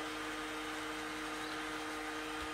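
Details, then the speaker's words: HP 625 laptop, which also has an intermittent charging-port connection: a faint, steady whirring hum with a couple of fixed tones. The fan noise is abnormal and the cause is not yet known. "okay I already hear the funny noise ah yes we have a funny noise from the"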